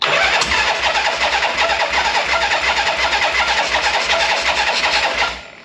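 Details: 1976 Harley-Davidson Liberty Edition Ironhead V-twin on its first start after rebuild, enrichment pulled: it runs fast and steady without dropping to a slow lope; high idle, owner suspects the idle set screw is turned in too far.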